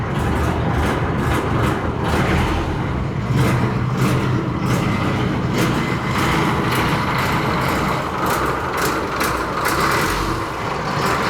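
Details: Boat engine (ghe) on a Mekong Delta river, test run after repeated repairs following sinking; continuous deep diesel drone holding steady under load, no knocking or misfire, only water and hull noise; normal running under load.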